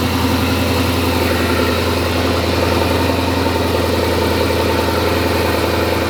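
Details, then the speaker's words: Twin-turbo C8 Corvette V8, first start on newly built engine: smooth low rumble, valve train quiet with no ticking or clatter; blow-off valves seen leaking oil at idle. "If it doesn't have oil pressure, we're gonna hear a bunch of freaking noise out of the valve train. And the valve train sounds really quiet."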